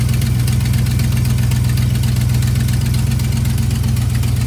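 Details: V8 after an old set of spark plugs replaced all eight faulty ones (following damaged distributor cap and rotor replacement): even, quick low throb about four pulses a second, never faltering; normal smooth idle.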